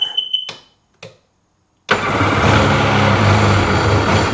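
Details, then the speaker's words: 2005 Sea-Doo 3D 787 RFI that had sunk: beeps, starter burst, fires then sags into a low labouring idle and drops right down, won't stay running; owner suspects MAP sensor reading or bad connection, cause unconfirmed. "see, it drops right down and won't run. What is causing that?"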